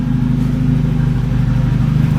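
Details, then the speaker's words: Volvo 760 Turbo with exhaust unbolted, engine blipped: loud, raw, deep unmuffled drone with audible turbo; runs strong, sounds like a turbo car. "Now it sounds like a turbo car. Woo, you can hear the turbo, that was cool."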